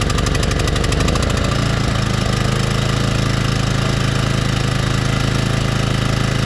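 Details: Toro Turfmaster mower: engine settles to a steady run, then rhythmic knocking from the deck once the blades engage; blades checked fine, idler or belt suspected; stretched drive belt slapping.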